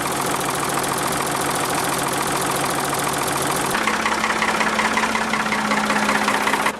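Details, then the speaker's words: Diesel backhoe loader, warm, running after an oil change: settles into a steady, even idle, the clatter easing to a smoother tone, sounding far better lubricated than before; normal idle. "vraiment entendre la différence là on a l'impression que le moteur et lubrifiée c'est vraiment totalement différente"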